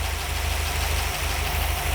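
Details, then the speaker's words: Vintage Ford Y-block V8 (Thunderbird) at idle: low, lumpy, uneven pulsing with two brief stumbles. Vacuum reads a fluctuating ~10 inHg where 18+ is expected, unless a cam is fitted; idle mixture adjustment follows. Rough idle. "which isn't right. This should be up around 18 at least, just rolling over, unless there's a cam in it."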